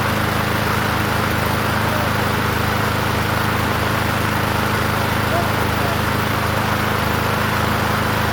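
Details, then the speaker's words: Free 21" Murray push mower with engine stamped 125, after tank and air cleaner cleaning, running at moderate rpm: steady single-cylinder drone with a buzzy metallic rattle. Cause: loose muffler cage; fix by tightening its bolts. "The the muffler cage is is vibrating. So, I have to tighten those the bolts down on that and that should keep that from rattling."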